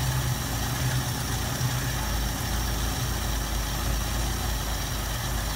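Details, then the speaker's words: 1973 Mustang 302 with a 2V 2100 carb, solenoid off while the curb idle screw is adjusted: raised about 30 rpm to 440, then dropped back to 400. Slow, steady, even low rumble with no misses; normal idle. "let me demonstrate that with the tachometer 440 there i increased it 30 rpm i'm going to drop it back now"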